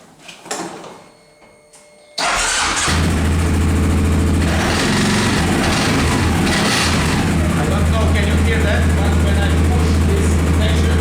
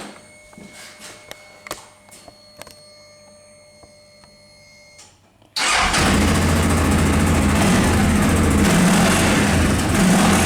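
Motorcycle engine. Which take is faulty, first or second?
first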